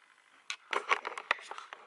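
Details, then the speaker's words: Sigma 30mm F1.4 Contemporary lens on Sony E-mount, recorded on the camera's internal mic: irregular clicks and short buzzy chatter while autofocus hunts; noisy only in autofocus, silent in manual focus. "Okay, let's jump to the second part. The autofocus noise is very noisy."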